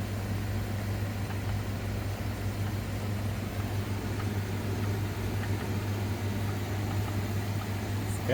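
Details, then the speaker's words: BLUETTI Elite 100 V2 1,800 W power station trying to start a 5,000 BTU air conditioner: a heavy, steady low buzz with no smooth run-up. The unit is likely too small to run the AC. "it doesn't sound right. I'm going to turn this off. Okay, this one probably is a little too small to run the 5K."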